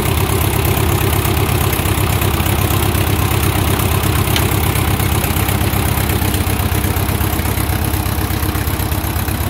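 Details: 1957 Ford 660 tractor idling after first start in 13 to 15 years, started with choke: deep, loud, slightly uneven thumping about three times a second, raw and unmuffled; owner says it needs a muffler.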